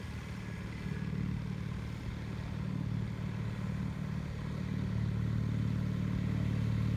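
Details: 1974 Bolens HT20 garden tractor on test run after replacing a coil burned out when the ignition was left on after a stall (fuel issue suspected): steady even low thrum holding speed, no misses or knocks; running properly.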